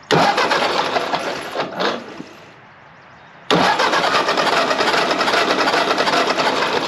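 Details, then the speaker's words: 1948 Ford 8N tractor after tune-up with new ignition parts: engine cranks, pauses, cranks steadily again but never catches; still no spark seen, later traced to misadjusted points. "So if we set this right here, we should see some spark when we turn it over."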